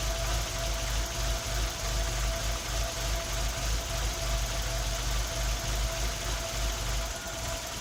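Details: Tino engine misfiring at idle: low idle chugs unevenly, with dull thumps stumbling about three times a second instead of a smooth beat.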